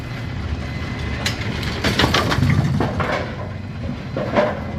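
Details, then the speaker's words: Brunswick A2 bowling pinsetter after cycle solenoid replacement (complaint: not cycling on first ball); ball detect beam tripped, machine cycles normally with mechanical clatter and thumps, no grinding or hang-up. "But now we're matched up again, so we're gonna turn it on and we're gonna go down there and we're gonna break the ball detect beam just like a bowling ball would. Trip the ball detect beam. It cycled."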